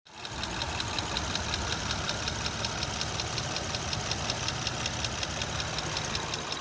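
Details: 2005 Honda Odyssey at idle: light, even ticking about three per second over a smooth idle, clearly audible; slight top-end engine tick, cause unknown.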